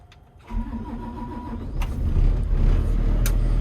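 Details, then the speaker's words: Digger diesel that wouldn't start even with new batteries, after starter motor replacement, preheated: starter catches, fires at once and settles into steady, even low rumble; healthy start, starter was the fault. "There we go, starter motor. Who'd have thought it?"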